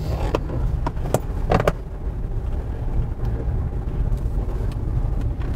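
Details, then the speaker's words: 2013 Toyota RAV4 cabin after fixing dashboard rattles with shims, driving over bumps in parking lot: only tyre rumble and bump thumps plus seat belt chime, no dash buzz or rattle. "not one bit of noise except for the not wearing seat Bel noise but we're in a parking lot even the big bumps even the big bumps is the customer happy yay"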